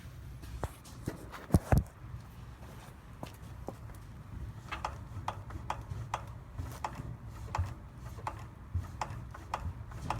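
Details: Fox Float 32 Evolution suspension fork being compressed on trail setting, then descent, then trail again; soft, irregular clunks and taps, some sharper, with the sound changing between settings; the cause of the clunk is unknown.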